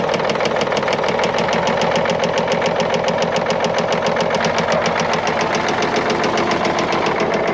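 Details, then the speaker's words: Knocking 10.5L Caterpillar diesel in a 977L with good oil pressure: rough, uneven running whose heavy knock stays unchanged when the number 6 injector line is cracked. Cylinder 6 judged dead, injector thought good. "all right so I cracked number six there and no change at all so Cylinder 6 is dead even though the injector is probably good"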